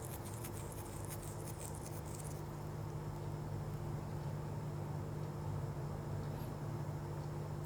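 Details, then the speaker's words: Dell laptop after replacing the CMOS battery to cure a continuous beep at power-on: fully powered on with only a soft steady fan hum and no beeps; normal power-on after repair. "तो देखिए दोस्तों system पूरा on हो चुका है और इसमें से कोई बीप की साउंड नहीं आ रही है"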